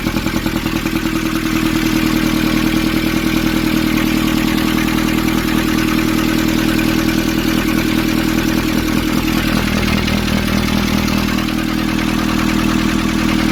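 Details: 2015 Nissan Urvan ZD30 diesel after its no-start was fixed by cleaning a black, dirt-clogged part: even diesel clatter at about 200 beats a minute, a steady rhythm with no stumble or hunting; a healthy idle.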